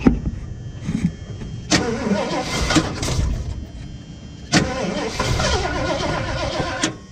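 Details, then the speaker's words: Salvage-auction vehicle, unknown age, in very cold weather with a corroded weak battery, cranked on starting spray: catches in brief rough bursts then dies, crank-no-start; fuel gauge reads fuel but slow, fuel perhaps not cycled long enough. "The gauge reads that there's fuel. Oh, I don't think we were able to have it cycle long enough."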